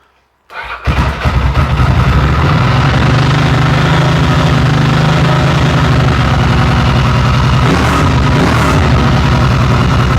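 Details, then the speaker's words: Ducati 900SS two-valve engine after fixing firing on only one cylinder due to failed pulsar coils: starts on the button and settles into a steady, even twin-cylinder idle lope with no misses, both cylinders firing. "Idles. That sounds better."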